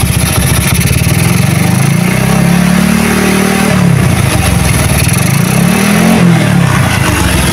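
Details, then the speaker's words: Motorcycle with a freshly set PWK racing carburetor tested at low rpm: revs rise and fall smoothly with a steady exhaust beat, no sputtering, popping or hiss, the usual low-rpm problem; setting judged okay; normal low-rpm running. "untuk RPM bawah halus ya guys RPM bawawah halus tanpa"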